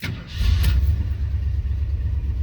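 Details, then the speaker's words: 1984 Jeep Grand Wagoneer, 187,000 miles, with a newly rebuilt AMC 360 V8 and all new parts: quick crank and catch, then a deep, even, quiet idle with no knocks or ticks. Normal start. "See how quiet and smooth it is? Everything on this engine is new."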